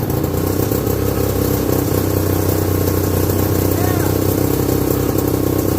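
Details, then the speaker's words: 1969/70 Sears snowmobile, single-cylinder Kohler, sat outside a year, first run after revival: fast, slightly uneven busy putter at idle; owner says it's sucking air, running lean. "yeah we're sucking air there so she's running lean"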